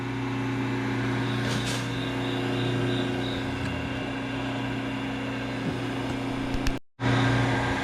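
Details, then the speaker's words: Cut-away single-phase motor with a busted starter switch, housing ground open: steady low hum that never climbs to full-speed pitch, then cuts out; not getting high speed, centrifugal switch contacts barely touching and not releasing. "For some reason, I'm not getting any high speed on here. Those barely touching."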